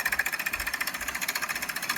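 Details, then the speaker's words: 1999 Dodge Durango 5.9 360 V8 before top-end rebuild, running rough with little power; sharp rapid metallic ticking about twelve per second over a faint engine; valve train clatter from a broken valve spring and bent pushrod. "so listen yeah that's the uh Kim valve spring is broken inside there and the push rod yep they said I need a motor"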